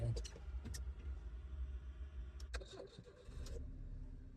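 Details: Petrol car with an immobilizer no-start, after replacing the faulty part so the immobilizer light stays steady instead of blinking: a few clicks, then the engine catches and settles into a low, even idle. Normal start; the fault is fixed.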